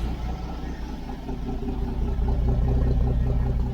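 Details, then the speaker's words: Toyota FJ40 Land Cruiser idling after an exhaust gasket repair, with a leak still around one bolt. Deep, even idle rumble at a steady rhythm, no ticking or puffing; sounds better than the old one: normal idle. "Sounds pretty good too. Yeah. That sounds exactly like my old one, except this one, my old one also had exhaust leak, so it sounds better than my old one."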